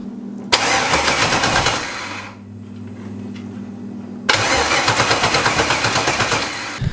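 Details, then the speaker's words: LS-swapped budget Mustang drag car, first start after tune loaded: two bursts of steady starter cranking with no firing, quiet gap between; no spark, likely no power to coils (no injector or coil power found). "so we have no spark right now which means we probably don't have power to the coils"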